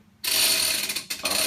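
Quick, crisp ratcheting clicks as the strap pays out smoothly, with a short pause; the retractor freewheels and clicks as it should.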